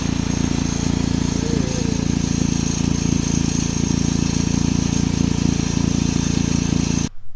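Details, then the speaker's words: 2007 Saturn Sky with a lean-fuel code, suspected vacuum leak: fast tinny rattle two to three times a second over steady idle, traced to all three catalytic converter flange bolts missing their nuts and washers. "I checked that that bolt in sure enough not only one not two but all three of the bolts on my catalytic converter we're missing the washers and the nuts underneath so basically the the bolts were just kind of hanging on for the ride"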